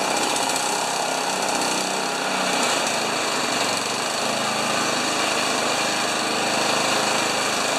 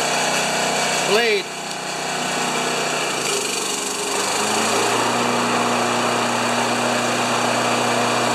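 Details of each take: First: Honda HRA214 mower unused for two years, after cleaning plug, new gas and draining carb bowl; steady, even high-speed buzz, about 3270 rpm with blade clutch disengaged, idle around 1500 rpm, no misses or surging; normal running. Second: Honda HRA214 mower running with a horrible loose metallic rattle underneath; owner unsure if clutch, rear metal baffle or grass scraper, found to be the blade clutch plate installed upside down.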